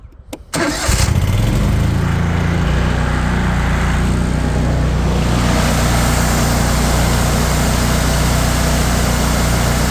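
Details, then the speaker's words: Cub Cadet Tank L48 commercial zero-turn mower, 48-inch deck, Kohler 694 cc engine (owner thinks 24 hp), 206 hours; choked start with e-brake on, catches within a second and settles into an even, steady run with no knock, vibration or smoke: normal start. "bad vibrations or knocking or pinging or smoke, anything like that. Exactly what you'd expect out of such a new mower."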